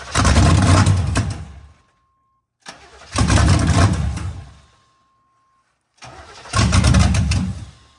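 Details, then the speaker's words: 1987 Z28 Camaro or 1985 Monte Carlo with mufflers missing: three cranking bursts of about two seconds each, catching briefly only on sprayed fuel but never running; fuel pump builds no pressure, tank later confirmed empty. "so it'll run while we spray fuel in it but yes doesn't S like the fuel pump is building any pressure may not have any fuel in it"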